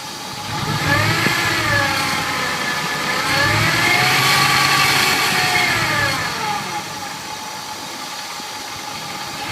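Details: 2000 Ford F-150 5.4L V8: a clear whine rides over the engine, pitch rising and falling with revs; source not identified.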